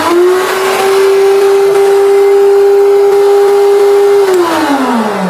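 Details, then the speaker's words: 2200-watt bench planer on a 2200 supply without the soft-start module. It snaps to a steady high hum almost instantly with no ramp, then coasts down. This is a jerky hard start with a 5 A inrush, which trips the MCB on 900/1300 supplies. "Itu langsung kayak menghentak ya. Hentak. Coba lagi ya."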